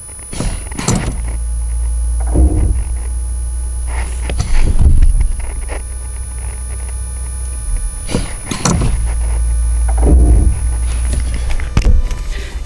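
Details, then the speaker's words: Classic (non-Autopilot) Tesla Model S with vacuum-booster brakes and creep mode off, as hill hold ends on a slope. Low rumbling surges with thunks as the car settles; normal roar of the pads releasing from the rotors. "roar of the brakes that's as the pads start releasing from the rotors"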